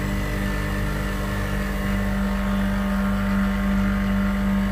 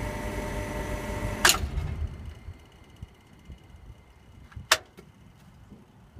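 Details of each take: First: Refrigeration compressor just restarted after its tripped breaker was reset, drawing around 6.5 A: steady even hum with constant low tone, no knocks or surging; running normally. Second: Refrigeration compressor after the breaker was reset: a low electrical hum, a sharp bang, another crack, then near silence as it tripped power for the whole site; a cracked oil splasher had damaged the motor internally.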